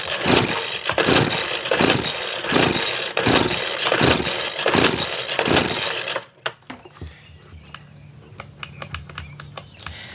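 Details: Craftsman two-stroke leaf blower that stopped running, reportedly after the wrong fuel was used, and has no air filter. Choke is on, switch on low. Six quick pull-start rips each sputter without catching, then silence; it won't fire.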